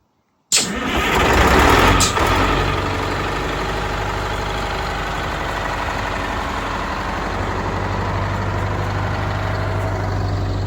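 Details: Detroit Diesel bus engine after blower replacement and full tune-up correcting mismatched injector timing between banks: cranks, catches, revs briefly, then a steady, even low idle with no knocks or misses; idle set just over six.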